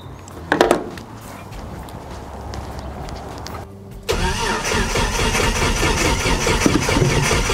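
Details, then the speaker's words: Old battery in "project fungus", restored on a pulse charger's repair mode, reading 12.9 V after clearing surface charge: quick strong crank, fires about four seconds in and settles to a steady even idle; normal start. "all right cool so that actually started project fungus where I was thinking that battery was just beyond it was gone it was dead and this little guy it actually resurrected it"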